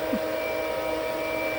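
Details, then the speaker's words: Aquastrong 3 hp variable-speed pool pump on speed 3 at 3,200 RPM drawing 1,380 watts: steady motor hum with a constant high-pitched tone, no rattle, grinding or surging; normal high-speed running. "Speed 3 I've got set for 3200 RPM. My wattage jumped up now to 1380 watts."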